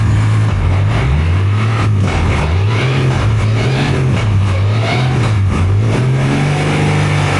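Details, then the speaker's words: Turbocharged junk-build engine at one of its first runs, with about 2.5 bar mentioned: the deep note rises and falls through repeated blips, with an uneven stumble early in each rev. Stutter on revving, cause not confirmed. "that's the sound and that's the stutter right uneven flow at first"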